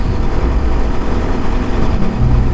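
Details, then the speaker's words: KTM RC motorcycle riding after water-contaminated petrol was fully drained and replaced with fresh fuel: steady, even engine note with a low drone, no stumbles; the earlier misfiring is gone and it runs constantly. "ഇപ്പോൾ കുഴപ്പമില്ല കേട്ടോ, ഇപ്പോൾ missing ഒന്നും കാണിക്കില്ല. Constant ആയിട്ട് പോകുന്നുണ്ട് വണ്ടി."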